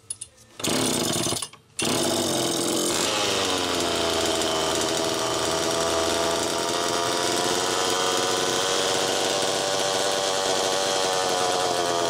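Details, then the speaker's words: Allen's Super EZ chainsaw, after Walbro HDC carburetor disassembly/rebuild, test run: catches after pulls, revs briefly, settles to steady even idle; low-speed needle was too closed, slowing priming; tip test unchanged, crank seals fine. "Low side was a little too closed off. That's part of why it took a little more time to prime there. But that's idling good."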